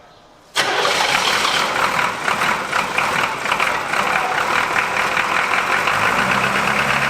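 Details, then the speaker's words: Abandoned 1981 Buick with 350 diesel V8, cold first start after bleeding air from injector lines, glow plugs not working and one glow plug unhooked; catches after cranking and runs rough and lumpy, misfiring, not hitting on all 8 cylinders. "We're not hitting on all 8, that's for sure, but it's hitting."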